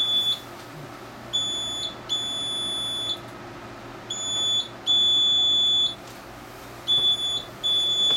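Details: Printer stuck for hours in an "error service reset" loop after its print head made a hissing sound; maintenance station suspected: high-pitched electronic beeps of uneven length repeat in groups every few seconds over a faint hum.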